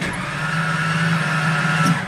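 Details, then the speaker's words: 1996 Ford F-250 7.5-liter big block V8 after engine rebuild with new pistons, rings and camshaft, running super rich and flooding after cold start: fast, even cranking with no compression pulses, won't catch; compression loss, cause suspected, not confirmed. "hear that no compression is the engine turning over put the pedal to them let's try again fell to the floor that does not sound normal whatsoever"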